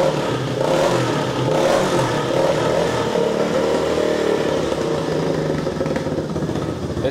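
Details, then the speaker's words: 1985 collector three-wheel motorcycle restarted, no working choke: engine runs unevenly just above idle, lumpy beat with occasional pops, nearly holds idle; running near idle with occasional pops. "Oh, comme il est énervé. Oui. T'entends comme il tourne. Ah ouais. Comme au premier jour. Il pète."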